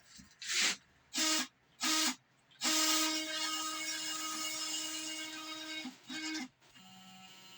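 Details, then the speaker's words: Small CNC router steppers running homing/test routine after reconfiguration for drive problems: short bursts of clean, steady-pitched whirring between pauses, no stutter, buzzing or grinding; motion now smooth. "well now that sounds real nice it don't sound at all like the one it did the other day"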